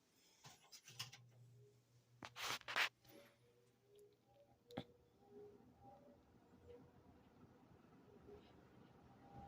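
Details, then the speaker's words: 1973 Kmart 20" box fan, model P-23, with its motor air openings completely plugged for years: a couple of switch clicks, then a low, steady motor hum with no rubbing or rattle, so the neglected motor still runs nearly perfectly. "Despite how neglected it is, it still runs pretty much perfect."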